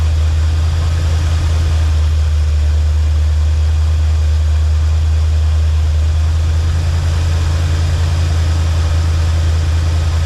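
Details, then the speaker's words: 1984 Chevy Silverado after a 305 to 350 V8 swap, at idle with about 12 degrees of timing advance: deep, steady, even burble with no misses; it had earlier died whenever idle was turned down. "About 12 degrees at advance right now at idle. Pretty steady. Sounds good."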